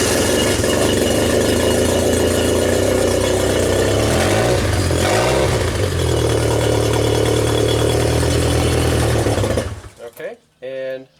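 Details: 1992 Genie boom lift engine, test run on ground control after wiring repair for a platform-mode stall: steady, even idle with a smooth low rumble and a brief speed dip midway, then shutdown; runs healthy.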